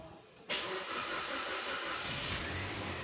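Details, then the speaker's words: 2013 Kia Venga, first start after timing chain replacement, cranked repeatedly to prime the opened fuel lines and injectors: the engine catches cleanly and settles into a steady, even run, and the oil warning light goes out; a normal start. "সুন্দর ভাবে গাড়ি স্টার্ট হয়ে গেছে এবং মোবিল উঠতেছে নিভে গেছে already signal বাথরে নিভে গেছে অলরেডি সুন্দর ভাবে গাড়ি স্টার্ট হয়ে গেছে"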